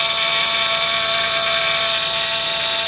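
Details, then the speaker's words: Honda idling, with a known slight alternator squeak: a steady high-pitched whine that does not change pitch; belt, tensioner or pulley suspected, and power steering fluid is to be checked. "well that doesn't sound too good wait till you hear the wheel move sounds like somebody needs a belt or a tensioner or a pulley or something"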